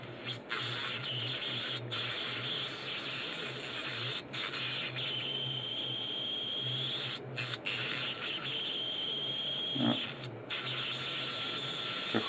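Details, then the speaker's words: Whistle on AM reception in a simple shortwave direct-conversion (homodyne) receiver: after lowering the signal level the AM modulation fits, but a thin steady high heterodyne whistle stays over the hiss and audio, with brief dropouts. "I mamy modulację AM, nie? Amplitudy już teraz cała się mieści. Jeszcze ten gwizd taki słychać,"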